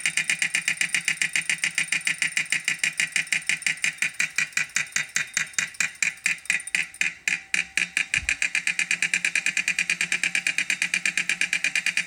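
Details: Wahoo Kickr 2018 trainer: rapid, steady, crisp clunking at roughly five or six knocks a second, keeping time as the trainer spins.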